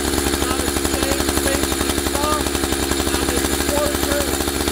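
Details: Husqvarna 572XP AutoTune two-stroke chainsaw; idle speed deliberately raised until the clutch carries the chain around; raised, even buzzing idle with clutch dragging the chain; idle speed set too high, needs backing off.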